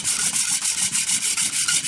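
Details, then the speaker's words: Hand drill fire-making with prickly lettuce spindle on new western red cedar base: dry hissy rubbing about five times a second, squeaking gone, enough friction and starting to smoke. "sound has changed so now we have friction you can see it's starting to smoke"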